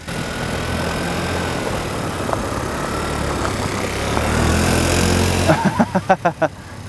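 Small engine drones steadily as the buggy drives off, pitch rising smoothly with throttle, no knocks or misses; runs healthy.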